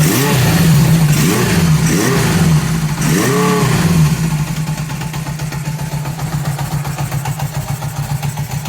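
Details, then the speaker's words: 1978 Honda CB750K being restored, carbureted, just got running: blips then weak, uneven idle barely running; fuel leaking, owner suspects vacuum leak with carburetor sucking air, possibly not firing on all cylinders. "I got a vacuum leak somewhere, too. You can hear the carburetor sucking air right now. And I killed it just by covering one of them. It doesn't sound very healthy."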